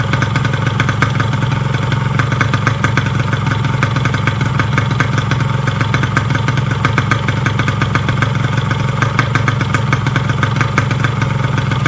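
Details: Yamaha RX King two-stroke idling after rebuild (new con rod, piston, crank bearings, clutch) to cure klotok knocking and rough vibration; quick, even crackly beat with no knock underneath, very smooth healthy running.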